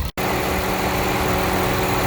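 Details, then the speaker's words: 2005 Prius (Gen 2) in maintenance mode during coolant top-off and bleeding, AC switched off: cooling fan runs with a steady even whoosh over quiet idle, no rattles, then turns off, the second time it has cycled; normal fan operation. "that that's the fan and it turned off that's the second time now"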